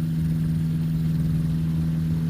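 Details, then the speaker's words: 1987 Spectrum Beaver RX 550 ultralight, 65HP Rotax 582 Mod90 two-stroke, B gearbox 2.58:1, 3-blade prop; steady even idle drone, no rattle or grinding, after earlier noise traced to a bad gearbox bearing. "I think it sounds good I think I'm happy with the engine"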